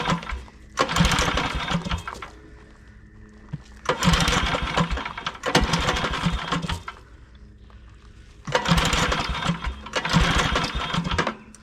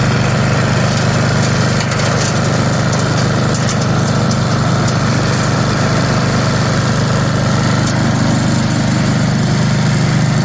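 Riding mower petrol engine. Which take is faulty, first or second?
first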